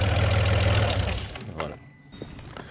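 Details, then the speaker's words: Alfa Romeo 156 GTA, 3.2 V6 Busso, revived after sitting over ten years: runs briefly with an uneven, lumpy beat, then dies within about 1.5 seconds once the airflow meter is connected; the meter is judged dead, causing the stall. "nou ja, het draait , maar alleen als ik de lijn van de stroommeter los laat, dus in dit stadium zou ik zeggen dat de stroommeter dood is."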